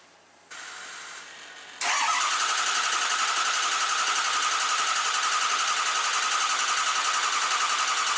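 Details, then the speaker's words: Diesel truck after high-pressure pump failure and piston replacement, with o-ringed heads and ARP studs, after bleeding air from fuel and oil systems: catches straight away and settles into a steady even idle; normal start. "as you can tell that sounded a lot different now i got most the air out of system fired right off"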